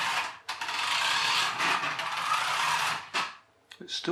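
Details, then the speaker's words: Rastar 1/24 scale 27 MHz RC Mini Cooper, reassembled after teardown; fast light clicking about three or four a second over the motor whir, the same noise as before disassembly, from a gear with a missing tooth found in the grease. "making the clicking noise it was making before I took it apart I didn't film it before I took it apart but it was making that noise I didn't notice any broken gears"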